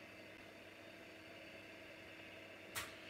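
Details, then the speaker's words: Commodore Amiga 2000 hard drive powered directly for a test: faint steady hum, then one sharp click as the heads try to move and hit an obstacle; drive never comes ready and is judged dead, cause suspected. "feels like the hip tries to turn and it just hits an obstacle so that one is dead"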